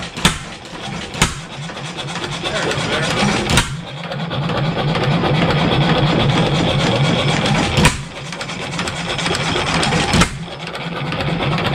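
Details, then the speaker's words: 7HP Stickney stationary engine started after decades of sitting: slow single-cylinder chuffing with sharp periodic bangs and a light knock each stroke from the connecting rod; owner expects to pull a shim from the rod bearing. "you can hear it just making a little bit of knocking in the rod so I wouldn't be surprised if we got to pull a shim"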